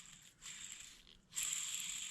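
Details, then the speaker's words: Argo ATV UC207-20 style bearing with dust covers and seals pried off, no grease, spun by hand: light even hiss rising with each spin, no grinding or clicking, slight play felt; runs smoothly. "here I mean it doesn't have grease in it doesn't sound janky though there's a touch of play"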